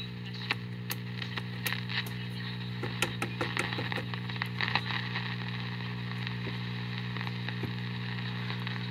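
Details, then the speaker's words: 1942 General Electric X-156 export radio with an auto transformer, antenna newly connected. Weak reception with a low steady hum, a buzzy edge and faint crackles: considerable mains hum. Owner suspects the tone-switch wire or old capacitors; grounding the wire made no difference. "Okay, it's kind of an unhappy radio. It's picking up a little bit, but not much. So it's also got considerable hum."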